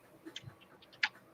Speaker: Why is that thing making noise like that? That's a new one. It's sitting wrong, that's why.